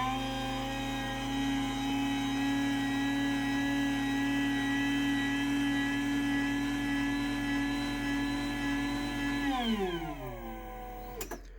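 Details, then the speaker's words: Brand-new 2024 Chamberlain/LiftMaster DC belt-drive garage door opener: a loud, steady high whine over a vibrating hum, with a vacuum-like noise, then falling pitch as it stops; a noisy DC drive motor. "So yeah, you can hear it vibrates a lot, and it's got that vacuum sounding noise to it."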